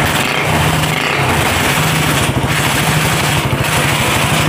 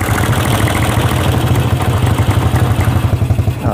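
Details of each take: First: Honda CB/GL single-cylinder engine at idle after replacing worn camshaft and rocker arms that caused a rough ticking from the head; even, steady beat with no ticking, oil circulation checked; top end now smooth. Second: Honda CB/GL motorcycle, valves recently adjusted: uneven idle with fast, dry ticking from the left side of the cylinder head, louder when revved; worn camshaft and rocker arms found as cause.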